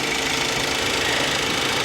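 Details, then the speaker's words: 1999 GMC Sierra idling at a salvage auction: short, steady, even idle hum with no knocking or misses; the engine sounds healthy and smooth. "Listen to it. It purrs like a kitten."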